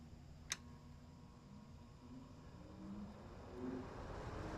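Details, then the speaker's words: 2018 GE (possibly Haier) air conditioner fan after fixing rotor misalignment that caused startup noise: click then quiet, smooth hum building with no rubbing, scraping or rattle; running properly. "That is beautiful. It's perfect now."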